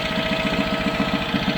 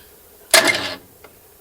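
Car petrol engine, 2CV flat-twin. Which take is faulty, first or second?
second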